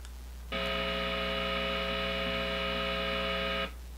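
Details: Positive Grid Spark 40 amp with a single-coil pickup guitar: steady bright mains buzz about three seconds that cuts off cleanly when the noise gate closes; single-coil pickup hum.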